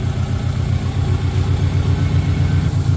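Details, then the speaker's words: Car idling with an uneven pulse about four per second, spitting and sputtering, gauge fluctuating; rough idle. Owner suspects the front O2 sensor, unconfirmed; exhaust has two catalytic converters. "he video here and hear it how it's spitting and sputtering and not acting proper"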